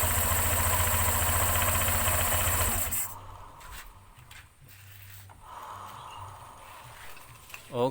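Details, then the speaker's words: Honda Vario 125/150 scooter after replacing worn rear CVT pulley bearings (needle 20x29x18 and 6902), which had caused noisy CVT; engine runs a few seconds with an even beat and no rattle or grinding from the belt drive. "Oke sekarang kita pasang kembali pulihnya kita dengarkan Apakah masih ada bunyi apa tidak sepertinya aman ya teman-teman"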